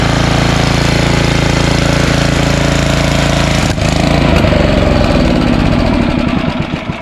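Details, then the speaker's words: Snowblower small single-cylinder at high throttle, run dry before storage: loud steady beat holds, then stumbles and sags as firing thins out and it stalls once the fuel is all gone; normal fuel-starvation stall. "okay that's it there's no more gas in here this is good to store for next winter that's it all air nothing left cool"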